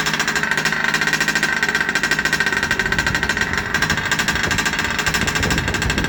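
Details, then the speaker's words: Rovan 30.5 two-stroke RC engine after a full first-time rebuild with an ESP ported high-torque top end and +2mm stuffed crank, first start: fast, buzzy chatter, slightly uneven with a bright rattle, idling on its own. "so glad it started and it's idling, because first time rebuilding an engine, and to hear it run, for those of you who've never done it, there are things in life that are extremely satisfying."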